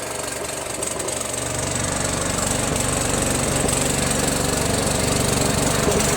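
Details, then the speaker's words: Second Troy-Bilt lawn tractor with Briggs Intek engine, original carburetor: rough, uneven beat about four pulses a second with rising drone; turning the fuel mixture screw does little, so the carburetor is to be swapped for a Walbro. "so I've been fiddling the fuel mixture screw quite a bit doesn't seem to really do anything you know so I'm just gonna swap it with a walbro"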